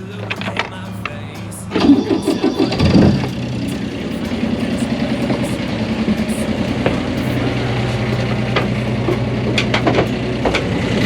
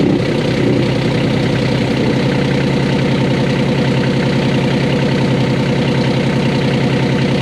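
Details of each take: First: 1988 Catalina 36 sailboat inboard engine after securing a loose part that caused grinding: brief crank then steady low smooth drone with no grinding or vibration; running normally after repair. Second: 1988 Catalina 36 sailboat inboard diesel idling in neutral with the shaft not spinning: dense, uneven rattle on every beat from an unbolted component vibrating, loud through the aft end and mimicking transmission grinding.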